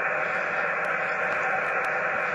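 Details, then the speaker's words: HF radio with Antron antenna on the back of the garage at the home QTH, tuned to the 12 m band: steady hiss across the whole band with no signals, a high noise floor from interference at home. "same with 12. all noise no signals all noise"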